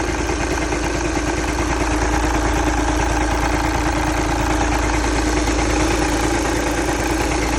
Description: Volkswagen Jetta TDI 2011 making this knocking sound,If anyone know what this sound is for kindly comment below and help me..Really appreciate that...